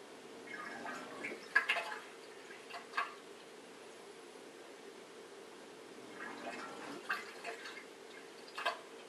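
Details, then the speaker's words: Bosch dishwasher SHE4AP02UC/06, 500 ml water in the sump; quiet hum with short pumping bursts cutting out after a second or two; drain pump starts and stops three or four times, failing to pump out water. "you'll hear the pump start and stop as it tries but fails to pump out very much water now if you listen carefully you heard about three or four times where it tried to pause didn't make much progress here we try it again same issue"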